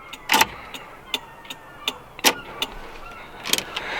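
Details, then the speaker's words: VW Rabbit Pickup indicator after sorting a fiddly left bulb whose two filaments weren't both working: light, even relay ticks at roughly 160 a minute, both sides now flashing at the same normal speed. "See, like they're just fiddly. Tiniest little movement, look. See? See, they're the same speed now."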